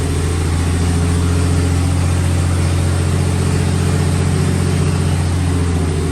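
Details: 1954 Fargo half-ton flathead six (Dodge), first startup after piston ring install and valve adjustment: steady, even low drone with no knocks or misses, settling into a healthy idle. Carb float was overflowing before start; some smoke from oil burning off the manifold.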